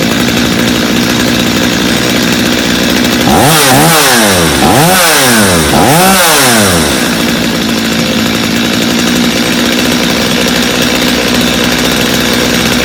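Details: Customer's Stihl chainsaw after reassembly, original Bosch spark plug, started from full choke; even idle, then three clean throttle blips each returning to steady idle; idle a little high but otherwise healthy, little carb adjustment needed.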